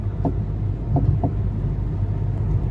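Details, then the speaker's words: Mercedes-Benz W204 driving on a bumpy road: three hollow knocks over low road rumble from the front right, felt slightly in the firewall but not the steering wheel; worn top strut mount bearing, fixed by replacing it. "and you can't tell where it's coming from it sounds like it's on this right inside i can maybe feel it in the firewall just a little bit i can't feel it on the steering wheel so it's definitely echoing through the body for sure which leads me to think it's the top strap"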